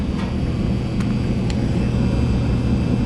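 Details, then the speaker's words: Old Kenmore gas dryer after replacing bad gas valve solenoid coils: igniter heats, audible solenoid click, burner fires; steady low tumbling rumble with faint igniter and valve ticks. Normal operation after repair. "Now listen for the audible click when the solenoid that controls that turns on. And there's your fire. So that function works, and it's one of these 2 solenoids."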